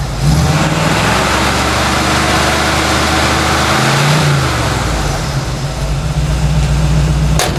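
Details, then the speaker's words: 1964 Chevy C10 with tired small-block 350, rams horn manifolds and new true dual exhaust with Thrush mufflers: deep, even idle burble with smooth blips, no ticks, rattles or leaks, not too loud; healthy engine and exhaust. "i think they'll be real happy with that it sounds really nice it's not too loud it should be nice when they're calling their trailer"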